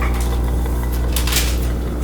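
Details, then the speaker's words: LG washer on high-speed spin cycle, drain impeller confirmed spinning freely by hand: strong steady low hum, no rattle or grinding; drain pump running strong, normal. "So I think the drain's doing good. Sometimes when you take over a machine from a previous tenant or previous owner, an LG, the drain pump is wiped out. They don't last very long, but this one seems to be running good. It sounds strong."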